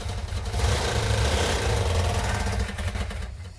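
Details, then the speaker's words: Newly rebuilt Mopar 340 V8 at first start, running on about six cylinders; lumpy uneven beat about three to four pulses a second with missing thumps; compression test showed low compression. "When we initially fired it off, it was running on about 6 cylinders. So we did a quick compression test to find out it had low compression on it."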